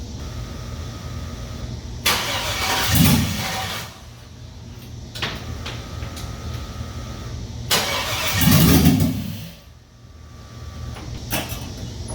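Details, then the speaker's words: 5.3 LS V8 in a C-10 rat rod, first start after fresh fuel, no HP Tuners tuning yet: two cranking attempts each catch into a short roar, then die. Owner suspects the factory security still being active is why it won't stay running. "I've never tried to start one with the security still on, so I'm going to go ahead and assume that's why it won't stay running."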